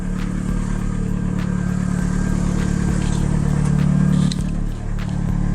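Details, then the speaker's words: 2002 VW Jetta 2.0 turbo built engine, new fuel pump replacing a failed Deatschwerks 65V that rattled, idling, heard from the rear: low steady hum with no whine, surging or rattle, no leaks; normal fuel pump hum. "so no leaks steady hum coming from back here sounds good sounds smooth"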